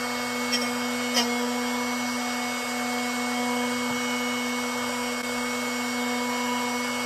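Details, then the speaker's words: Drill Doctor XPK sharpening a 118° drill bit: steady high motor whine with a light gritty scrape as the bit touches the wheel; keep sharpening until the grinding fades, meaning the edge is done. "you want to keep sharpening until you don't hear that grinding noise that's when you know you're [Music]"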